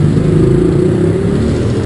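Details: Motorcycle (Fly 135) after crankshaft and camshaft bearing replacement: strong, even low engine roar held for two seconds with no knocking or bottom-end rumble; the noise is fixed.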